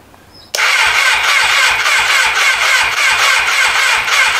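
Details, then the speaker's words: 1988 Kawasaki ZXR250 project bike, first start attempt after a faulty switch was found; fuel poured in, choke not working; starter groans and turns over slowly, about four even pulses a second, no firing; weak battery supply, cranking too slow. "I did get it to turn over, it was just a dicky switch. I have put some fuel down it. I'm not holding high hopes because it does turn over pretty slow."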